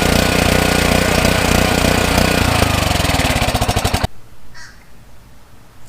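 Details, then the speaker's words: Free curbside pressure washer small engine, repaired, hot, water pump not yet refitted: fast even beat runs steadily then slows evenly and dies when switched off; no misfires or knocks, motor running good. "Now that I got the motor running good, that's hot."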